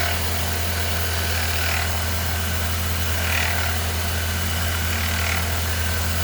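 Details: 2013 Ford Fiesta Zetec Rocam idling with a constant dry rattling whir, first thought to be the timing chain. It was actually a worn auxiliary idler pulley bearing, and replacing it fixed the noise.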